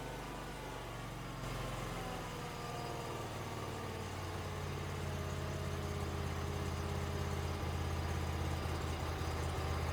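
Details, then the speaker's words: Wheel Horse 520LXi, Kawasaki liquid-cooled FD620D twin, after carburetor replacement for sluggish, bogging running suspected from fuel starvation: smooth, even low idle with no misses, surging or knocks; best it has sounded in a long while, normal idle. "But this is the best this engine has sounded in a long while."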